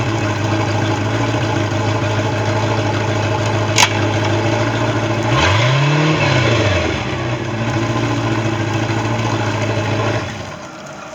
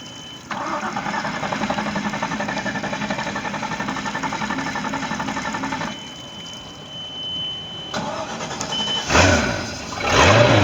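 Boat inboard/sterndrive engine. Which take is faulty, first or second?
second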